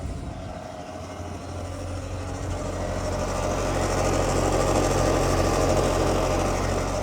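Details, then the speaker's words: 2009 Mercedes-Benz SL550 with ABC (Active Body Control) hydraulic suspension, at idle before coilover conversion: low moaning hum with rough grinding that swells over seconds, the failing ABC pump. "This pump is making all types of noise. It's moaning and grinding like a '9s R&B hit."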